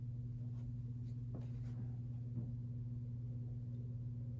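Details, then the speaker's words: Sears-sold reversible plastic ceiling fan with Emerson motor and wooden blades at medium speed: low steady hum with a faint even tone and no bushing knock; running normally. "That's just how these are, and that's normal for these. I'll go ahead and bump it up to medium now."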